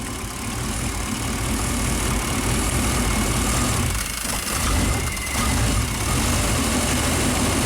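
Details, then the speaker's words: Classic Chevy 5.7L V8 just after the proper PROM chip is installed: the idle drops right away to a low, steady, even beat with no hunting or surging. Normal idle. "Ooh, idle dropped right away. I like it. That's what it's supposed to sound like."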